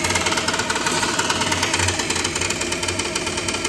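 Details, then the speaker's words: Gas furnace with a gas leak, running just after ignition: fast, uneven metallic rattle about three times a second over the furnace roar, like something loose about to come off; draft inducer suspected failing, new one needed. "this thing's about to sounds like it's about to come right off there"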